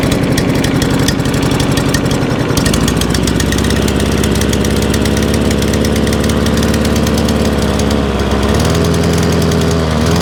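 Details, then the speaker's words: Free scrap lawn mower, after fitting a new spark plug: lumpy, uneven beat, speed drops and shifts twice in ten seconds, won't idle smoothly. Owner suspects carb assembly jumped onto choke or carburettor linkage not opening and closing properly; unconfirmed. "it's carby something to do with the linkage up the top is not it's not it's not open and closing as it should do could be a problem because because of copy carburetor"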